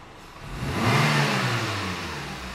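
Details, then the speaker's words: Renault Clio that had been misfiring at low revs, acceleration test after repair: revs climb cleanly from idle and settle back evenly with no stumble, cutting or hesitation; pulls smoothly, fixed. "pisou respondeu giro sobe liso sem falhas sem corte sem engasgar e E como tem que ser tá perfeito agora"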